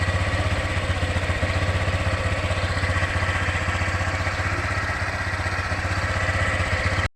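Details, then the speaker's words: Honda Click version 3 scooter at 197 km, idling with a steady quick beat and a loud clattery mechanical edge. It was quiet before and not like the very quiet new ones; owner thinks noisiness may be a known issue. Cause unclear. "Yung andar niya medyo maingay. Hindi siya noon ay tahimik lang. Talagang ganito na lang yata ang issue ng medyo maingay siya."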